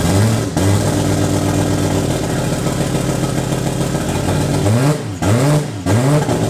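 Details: Toyota 2JZ turbo six in a Holden VL Commodore, first run in eight years after wiring work; quick rev bursts with a rough lumpy note, running on five cylinders, cause not identified; misfire.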